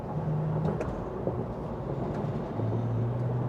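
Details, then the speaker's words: 2007 Toyota FJ Cruiser petrol SUV, 288,000 miles, after fixing sluggish acceleration and rough idle found with a scope: strong pull from a stop, smooth low drone rising in pitch without stumbles; normal acceleration with plenty of pep. "Feel like I'm a Mario Andretti. Woo! Got plenty of pep now. Oh yeah, there are no complaints there."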